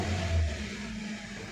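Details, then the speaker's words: 2012 Hyundai Verna Fluidic 1.6 L petrol, light blips with rough, lumpy low note and heavy vibration, no fault codes; misfire in one cylinder, poor pickup and stalling, fixed by replacing the number 3 ignition coil. "बुरी तरह vibration कर रही है। देखो कोई fault code नहीं है।"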